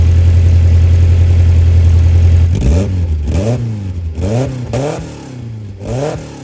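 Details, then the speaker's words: Toyota Previa after installing a replacement muffler over rusted pipes: loud raspy exhaust barking on throttle blips, settling to deep burble; still leaking where weld was unfinished, not yet hung. "still got a little leak still got a little leak up here where I ran out of weld so I'll have to get some more uh welding wire"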